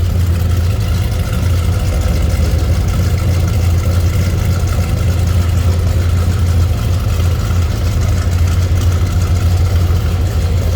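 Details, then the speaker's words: 1981 Chevrolet El Camino, 350 small block, TH350, Edelbrock 600 carb, ported heads, RV cam, Hooker headers, 2.5-inch dual exhaust, after cold start: deep steady rumble from tailpipe, slight rhythmic lope, no ticks or knocks; normal idle with mild cam. "There you can hear that mild cam. Good sounding exhaust."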